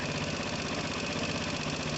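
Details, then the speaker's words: Piaggio Typhoon 2012 scooter with swapped-in 125cc engine and swapped carburetor, first start-up: steady, even putter with no misses or knocks, settling into a smooth, healthy idle. "i'll look into it but that sounds smooth as anything"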